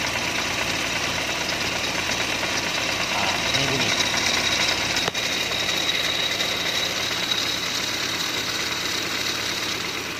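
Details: Proton Saga FLX at idle: loose, uneven light rattle from the butterfly flap inside the intake manifold (IAFM), with no belt or valve rhythm; fixed cheaply by modifying the IAFM.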